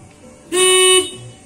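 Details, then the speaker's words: Mio scooter horn after cleaning the dirty horn button switch: two short blasts of a steady, buzzy horn tone, clean and strong; horn works again. "HP ini klaksonnya suaranya mesum tidak apa-apa yang penting bunyi"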